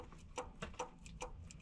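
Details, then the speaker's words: Chevy 454 big block in the truck with the oil pan off; the pan was glittery and the magnet held bearing debris. Light irregular metal clicks, about three a second, come as one rod is wiggled by hand: a worn connecting rod bearing. "That's no good. That means bearing go bye-bye."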